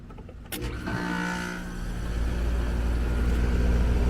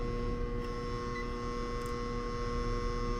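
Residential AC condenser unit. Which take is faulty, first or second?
second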